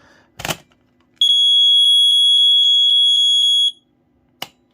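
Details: BRK 79R smoke alarm after its piezo sounder was replaced, tested on battery: clean piercing high-pitched tone held about two and a half seconds; sounder works properly.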